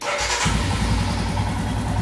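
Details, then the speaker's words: Royal Enfield Himalayan after adjusting the throttle position sensor to a reading of about 5.5: catches within a second and settles into an even, steady idle with no hunting; holds up when accelerated. "there you go you see that perfect ITIL just singing in harmony you accelerate and bike is holding up"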